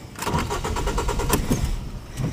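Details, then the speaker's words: 2005 Ford Focus with a fuse pulled cranks rapidly and evenly for about two seconds without catching, to bleed off fuel line pressure before a fuel filter replacement. "I'm just going to start the car up. Let it run for a second until the fuel dies, just like that."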